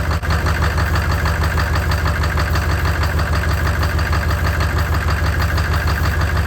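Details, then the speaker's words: 6.5L Chevy diesel after replacing a bent pushrod that had caused a knocking/popping sound, started after charging the batteries and adding a ground: steady even idle with a smooth low thrum, no knock or pop; normal idle. "so there you have it I guess it was the push route after all I got a new one put in there"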